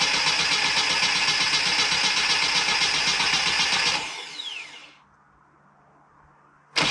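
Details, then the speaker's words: 1990 Mini ERA Turbo, 262,000 miles, during restoration with new carburettor: starter churns steadily about four beats a second for several seconds but never fires, due to fuel pipe connected wrongly. "as you saw i was trying to crank it over get it started with the new carbon"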